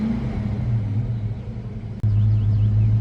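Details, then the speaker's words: 1993 Mustang Cobra 5.0L V8 after fixing running on 7 cylinders and the 2000–3000 rpm hesitation: deep, steady burble at a slightly lower idle with no missing beats, check engine light off, now running cleanly on all eight cylinders. "it's idling back to normal which was a little lower than it was idling before the exhaust note sounds a little different sounds like it used to definitely revving a lot freer"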